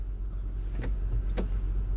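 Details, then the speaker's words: 2003 Honda Pilot after replacing a faulty brake light switch, engine running: two crisp clicks as the brake is pressed, normal shift interlock release, and it now shifts out of park freely. "when you like press the brake I hear the click that might be like a the the column lock or like the shifter so annoying and then now yep I can do it yeah now I can do a shift no problem"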